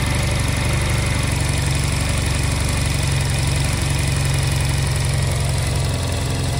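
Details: Honda Silver Wing twin that would not start, fitted with new spark plugs, before air/idle sync adjustment: low, steady idle thrum, even beat, no stumbling or misfire; normal idle.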